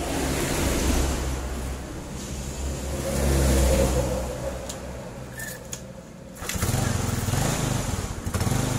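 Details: Carbureted Yamaha small single-cylinder motorbike (Jupiter Z type) started after checking the ignition circuit (stator, regulator, fuse, key switch, CDI, coil): picks up and settles into an even, steady run, revving cleanly with no misfire; running normally.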